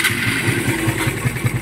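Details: Vehicle another shop said needed a bottom-end overhaul, quiet at idle per owner: steady light ticking about five per second over the engine note as it revs; worn cam lobes and tappets chattering in the top end.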